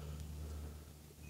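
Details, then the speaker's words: Cirrus G7 aircraft during pre-flight, full 55 gallons fuel: steady low buzzing rumble, then brief high stall warning tone and stick shaker as the stall warning is tested; system working normally. "Says stall. And you can hear the stick shaker. So the G7 has a stick shaker."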